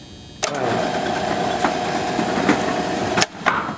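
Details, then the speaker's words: LiftMaster LM21XP operator on an overhead fire door, raised during drop testing: steady mid-pitched motor hum for about three seconds cuts off cleanly, then one clunk as the upper limit switch stops the door at its top limit. "So, automatically the upper limit switch has stopped the door. The door is essentially open at its very top limit."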